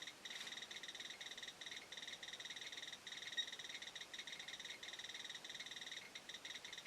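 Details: Chinese BR-6B Geiger counter compared with a Soeks 01M on a radioactive sample, readings about 3.5–3.7 µSv/h: quick, steady chirping clicks, several per second, over a quiet background; responding normally.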